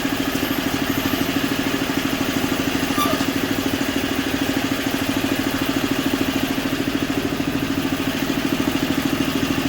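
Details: Simplicity 560 snowblower single-cylinder engine after a tune-up: new oil and spark plug, clean carburetor, electric and pull starters fixed. Quick, regular, even putter with no misses or knocks. Sounds healthy.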